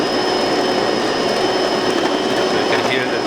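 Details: Delonghi Magnifica grinding beans for a double espresso after tune-up (lower brew unit replaced, descaled, upper brew unit gasket replaced, screen cleaned): constant, even whirring grind at steady pitch with no catching or labouring; normal operation.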